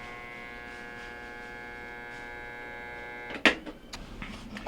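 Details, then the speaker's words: Kenmore top-load washer, model 11026914690, filled with water: motor just hums, powered but won't turn, on wash or spin cycle, then a single clunk; suspected pump binding or faulty motor (3352287) not yet confirmed. "it's filled with water right now and it won't the motor just hums when we go to turn it on um either a wash cycle or a spin cycle"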